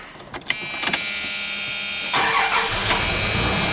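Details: 1996 Dodge Dakota V8 after oil pump replacement, fresh oil, primed until the oil pressure light went off, start before the first drive. A short crank, a quick catch, then a steady, even idle with no knock or tick. Normal start and idle.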